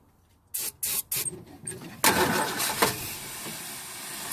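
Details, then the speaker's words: Ford Falcon, believed 170 cu in inline six, first start in about 17 years, on starting fluid, not pulling fuel: three short cranking bursts, rough catch and uneven sputter, dying; fuel starvation stall. "she didn't like that go come on pull that fuel up girl she wants to"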